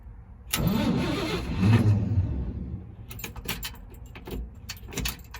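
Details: 1964 Chevrolet C20 long bed that sat 19 years, turned over on the key before oil check; about two seconds of steady starter churning, roughly four turns a second, no firing, then clicks and rattles: cranking without starting.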